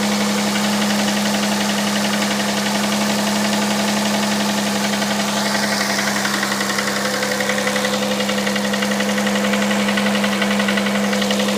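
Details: Hyundai Santa Fe CM, G6EA 2.7 V6, cold start: fast even tapping over steady idle hum, in time with engine; knock from inside engine, cause unconfirmed.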